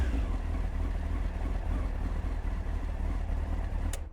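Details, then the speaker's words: Honda CBR900 Fireblade SC33 after carb balancing, reassembled with airbox and tank refitted: deep, even exhaust note running cleanly on all four cylinders with no popping or banging; normal running. "there we go running lovely no popping and banging running on all four"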